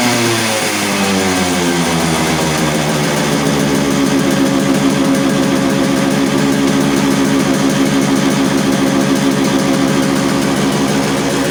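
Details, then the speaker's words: Yamaha RX100 two-stroke, kick-started right after a clutch bell upgrade; crackles fast and stays at an elevated steady idle instead of dropping back, carburetor not yet re-adjusted: high idle speed. "तो भाइयों देखा आपने गाड़ी की यार सारी setting change हो गई है, मतलब आरपीएम अलग जा रहा है और क्लच अलग चल रही है, तो सारी चीज़ सेटिंग चेंज हो गई है। तो आरपीएम देखा आपने कितना हाई हो गया इसका आरपीएम।"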